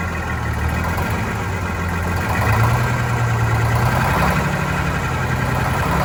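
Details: Vintage diesel bus, cold day, after injector cleaner: speed hunting up and down over several seconds instead of holding steady idle; air entering fuel, suspected from a line before the new hoses.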